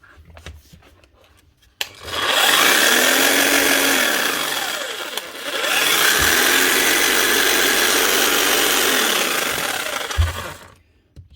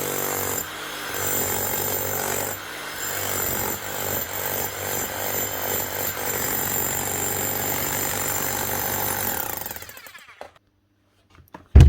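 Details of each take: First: Bosch GSH 5 CE demolition hammer under warranty, a few months old and used for wall chasing: a harsh, rattling drone with a grinding edge from worn gears and a failed armature; it needs a new motor. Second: Bosch GSH 5 CE demolition hammer after a full warranty service and rebuild with a new motor: fast, even hammer blows hold a steady beat for about ten seconds, then stop cleanly, running like a new hammer.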